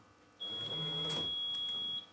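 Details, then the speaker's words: 1990s Rolls-Royce Silver Spirit III alarm set to off position, locking with key fob: one long even high beep about 1.5 seconds; central locking works but alarm is not armed. "Hear that one long beep? That tells us that the alarm isn't active. The central locking still works, but the alarm isn't active."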